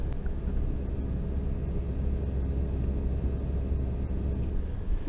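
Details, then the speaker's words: Xbox Series X recorded at the rear air intake: only a soft, even low whoosh of air, no high whine on top; normal quiet operation, no coil whine. "não estou ouvindo nada certo"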